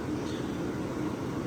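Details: Vintage Westinghouse 10,000 BTU window A/C: low, steady hum with an even fan rush and no rattles, clicks or pitch wavering; the compressor runs smooth and quiet.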